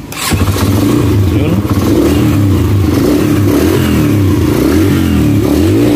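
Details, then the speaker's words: Yamaha XTZ 125 fitted with a replacement STX125 carburetor, checked after adjusting the float to stop the carburetor overflowing and removing the check-engine wire: revs rise and settle cleanly with an even firing beat. No more misfire, normal running. "So okay na mga bayai. So wala na siyang palyado."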